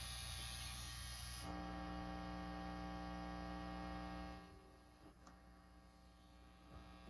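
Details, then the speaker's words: 1976 silverface Fender Twin Reverb: loud, steady low buzz present regardless of channel or tone settings; its tone shifts with volume at 10. Later reduced by replacing the hum balance pot with an artificial center tap. Excessive mains hum. "there's still quite a bit of hum in the amp and then you go all the way to 10 on the volume and changes to this hum"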